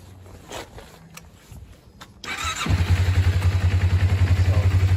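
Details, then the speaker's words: Normal idle on a 2001 Kawasaki Ninja 250 before a vacuum leak is introduced, with the petcock vacuum hose removed: the engine cranks, catches and settles into a steady, even idle with a regular low pulse. "I'll show you what it runs uh what it sounds like uh the way it's supposed to run."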